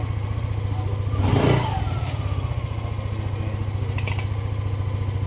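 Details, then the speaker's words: Yamaha Aerox 155 v1 keyless scooter after CKP sensor replaced for error 12 no-start: even idle rises cleanly on a throttle blip and settles back without hesitation or misfire; normal revving. "So mga boss, okay na yung motor ni sir. Ah si Kipe sensor lang yung problema."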